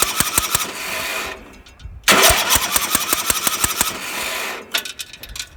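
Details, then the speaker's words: Homemade racing mower small engine that died on a test drive with a big puff of white from the carburetor: rapid uneven chattering in two cranking bursts, no firing; valve train damage (bent pushrod or broken rocker) suspected. "So, I don't know for sure what all went wrong in here, but it might be something in the valve train."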